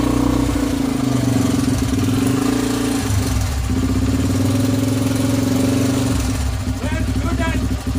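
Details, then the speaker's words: Honda XL 100S restoration project, single cylinder: crisp, even beat picking up cleanly on each throttle blip and settling back smoothly. No smoke, sounds sweet; normal idle and throttle blips. "Sounds absolutely sweet. Look. Sounds good, doesn't it?"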